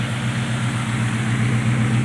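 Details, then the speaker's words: 1982 Dodge D150 V8 pickup, after sitting at least a year with a suspected metallic rubbing noise at the front of the transmission: steady, even low-rumble idle, no rubbing or scraping heard; normal idle. "I don't seem to hear that noise I thought I heard coming from the transmission a while back"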